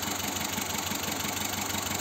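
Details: Car parked, engine idling with shaking: uneven pulsing throb with an occasional stumble; rough idle from a misfire on one cylinder being traced, injector check planned.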